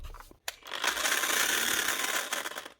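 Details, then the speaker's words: Bosch GSH 5 CE demolition hammer, June 2024 build, few months old: harsh rattling grind about two seconds, no clean motor note; stripped gearbox gears and armature sparking, likely failed. "Oh, that's just nasty. So you can hear the problem straight away. There's gears stripped out here, but also a bit of sparking it on down here as well."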